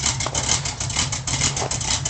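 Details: Ford Torino (Starsky and Hutch) V8 after full tune-up: carb gone through, gas tank flushed, better ignition fitted. Steady, even idle with regular lumpy exhaust beat, no knocks or misses; normal idle.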